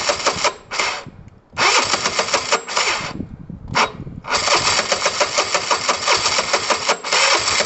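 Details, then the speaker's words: Chinese car being fired up: engine catches in ragged bursts, stumbling and cutting out before an uneven, choppy run, sounding tired and down on power; owner guesses it needs an engine rebuild, not confirmed. "my guess is this needs an engine rebuilt i mean we can keep yeah ultimately like i think we'll get it kind of started"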